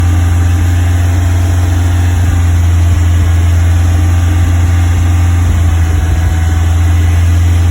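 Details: Westfield engine held at about 2500 rpm: deep, steady drone with a rough, uneven beat underneath; engine misfire, cause not yet found.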